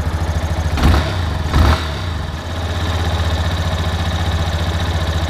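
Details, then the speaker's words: Yamaha Fazer 250, after repair of an engine noise: two quick blips then smooth even single-cylinder idle with no ticking; engine sounds healthy. "vamos ver agora como ficou o barulho do motor essa moto ela está com 33 1.336 quilômetro rodado e olha o barulho que ela está fazendo agora"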